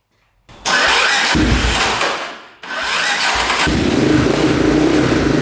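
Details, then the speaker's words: 2002 Yamaha Warrior 350 single, first start after sitting, carb cleaned, fresh oil: fires after a couple of cranks, stumbles once, then revs cleanly with a steady idle; runs pretty good, smoking, mouse nest blown out of the exhaust pipe. "Wow, runs pretty good."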